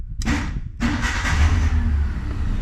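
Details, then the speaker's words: Petrol Ford (XL manual) hot-wired with vice grips and a screwdriver: a brief crank, then it catches immediately and runs steadily and healthily; there is a slight exhaust leak underneath. "And now you can see how nice it runs. Lovely."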